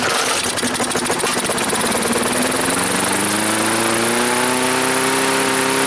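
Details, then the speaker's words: Free Craftsman lawnmower with Briggs & Stratton 4.5 hp single-cylinder engine: revs up with rising uneven buzz and loose hunting beat, running rough because the choke linkage was working backwards. "hi-oh the choke was actually running backwards oh man no wonder"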